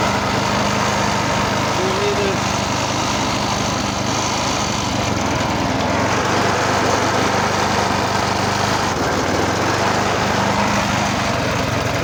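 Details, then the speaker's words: Vintage Maryland reel mower repowered with a single-cylinder lawnmower engine remounted upright, with an added oil reservoir and straw drip replacing the splasher, on fire-up: steady, even buzz with no misses, knocks or surging; runs healthy. "Yeah. She's a runner. She's a runner. Oh, good old-fashioned stuff."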